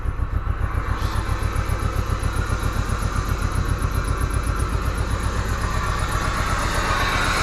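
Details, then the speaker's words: 1995 Plymouth Neon, low mileage, after long storage, first start after adding Berryman's and fixing a bad battery connection: catches and settles into a steady, fairly even low idle with light chirp, no oil light; running, slightly missy on old gas. "She's running. She might even out here, chirping around a little bit. No oil light. She's running, y'all."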